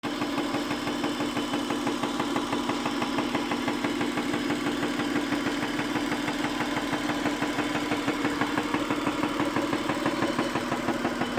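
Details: Acura car engine idling, with a quick, steady ticking riding over its even hum; cause unknown.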